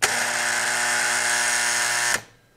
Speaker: we get that terribly loud sound or that chattering